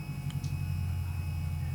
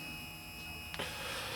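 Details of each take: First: AMH23-258-3 8-wire stepper motor wired in series, about 1.5 A draw: steady low hum sounding good at 20 V, turning to a rough buzz when supply voltage is lowered; stepper noise at low voltage. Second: AMH23-258-3 eight-wire stepper motor, rated 4.2 A in parallel, wired in series and drawing about 1.5 A, running at 20 volts; it makes a noise at lower voltage. Quiet, steady high whine, faint hum, one light click, smooth stepping: normal running.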